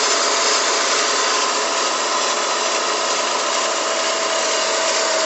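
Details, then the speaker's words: Dodge Stratus on cold morning start after sitting hours: steady hiss-like whir with faint high tone from timing belt area, gone after about 5 minutes; water pump replaced about 4 months earlier; cause unknown. "Cada vez que lo prendo en las mañanas se escucha el siguiente ruido. Los ruidos en el área de la banda del tiempo"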